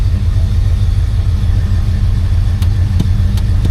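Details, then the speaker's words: 1966 Oldsmobile 98 V8, 93,354 miles, first start on a cold morning: deep, even idle with a steady low burble, no ticking, no exhaust leak or muffler holes; normal, quiet cold idle. "So far, first impressions, motor sounds good. I don't hear any ticking. Not hearing any exhaust leak. No holes in the muffler. Everything sounds pretty quiet, as about what you expect."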